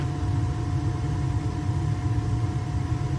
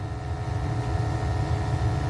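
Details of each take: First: Burnham boiler at startup after replacing wrong-model gas valve, during combustion test with analyzer in chimney: steady even low roar, no puffing or rumble, low fire then increasing, good draft; burner firing normally, running better. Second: Burnham boiler with incorrect gas valve at 3.5 gas pressure, overheating, ppm rising drastically on combustion test, high then low firing: deep uneven pulsing rumble; rough combustion, fixed with Honeywell/Resideo VR8345H slow-opening valve.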